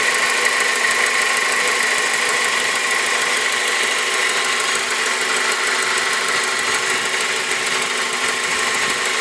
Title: bruit moteur k20